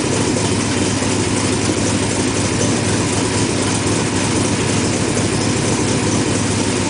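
Engine catches and settles straight into a smooth, even idle with a steady low hum and no misses or stumbles.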